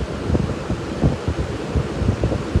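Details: Wizard 20-inch two-speed four-blade box fan, blades rebalanced, half-inch shaft motor, on high drawing about 3 amps: even whooshing airflow with soft rhythmic blade thump; runs smoothly, not loud.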